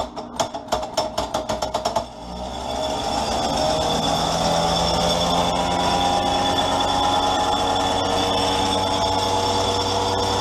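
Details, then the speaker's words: Magneto bolted into an old-school test stand, spark plug leads on two test gaps: sharp regular snapping of spark over a steady motor hum; even firing, magneto healthy. "It's an old school tester. It's not the quietest thing in the world, but man, it is very cool."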